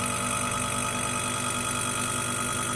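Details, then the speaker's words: 1980 Cinematronics-copy arcade cabinet, first power-up after the 5 V supply was repaired, monitor dead: a steady, even, loud fan whoosh with a constant low hum. There is no smoke and the board LED blinked once, meaning the board is working. "so here we go okay no smoke loud fan and it blinked once"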